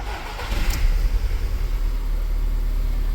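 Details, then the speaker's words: Fiat Idea after replacing power steering reservoir with clogged expansion valve, previously noisy: engine cranks, catches and settles to an even idle with no whine or groan from the steering pump; noise gone. "sem barulho de direção Essa é mais uma dica que eu dou para vocês"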